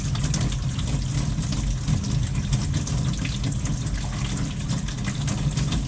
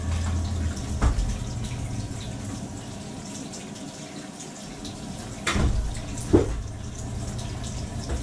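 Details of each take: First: After fitting a valve washer at the kitchen faucet to cure water hammer that sounded like it came from the combi boiler: smooth, steady rush of water with no banging; flow is normal. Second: Kitchen faucet hot side on, mistaken for a combi boiler noise: running water hiss with sharp irregular pipe bangs and vibration, water hammer blamed on the faucet.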